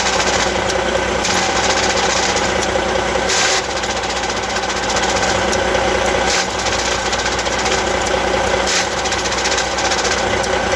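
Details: Truck diesel running with an Eaton Easy Pedal Advantage clutch: irregular rattling tick and occasional sharp clacks over the engine note; abnormal clutch noise, cause unconfirmed.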